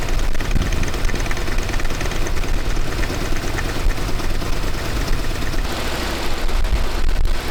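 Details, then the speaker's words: Chevy Nova V8 with newly fitted high-rise intake and knockoff carb: loud, lumpy idle with a fast rhythmic clatter woven into the firing beat, likely valvetrain noise, possibly from a rocker that's really loose. "rocker that's really loose."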